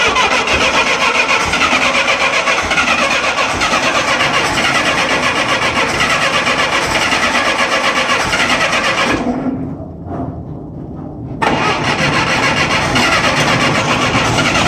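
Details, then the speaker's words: 1966 Clark 2500 forklift, gasoline Continental flathead four-cylinder, cold after sitting 6 months, freshly primed fuel, full choke and pedal floored: long steady cranking that never catches; engine flooded, carburetor issue. "Hold it to the floor. Yeah, she's flooded."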